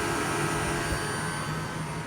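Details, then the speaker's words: Toyota Prius electric A/C compressor at about 2800–3000 rpm as pressure and load drop: a steady, even, barely audible hum with a faint high tone and no vibration. Normal low-speed compressor running. "now if I listen for the compressor I can hear I almost can't hear it it's about 2800 rpm yeah I could barely hear it can't even feel the vibration anymore"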